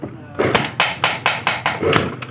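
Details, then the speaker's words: Yamaha Mio Sporty that is totally dead, compression check with the ignition off, the spark plug hole sealed by hand and the engine kicked over: sharp, even air puffs blast out about every quarter second. This indicates good compression. "Dia akan nembak, ada suara dak, dak keluar angin. Nah, itu menandakan bahwa kompresi itu bagus ya."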